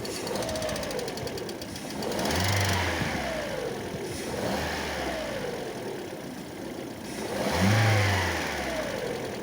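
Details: Lada Vesta at idle: fast, light ticking that follows the revs, the clatter of noisy hydraulic lifters; knocks during warm-up in warm and cold weather and sometimes disappears once the engine is fully warm.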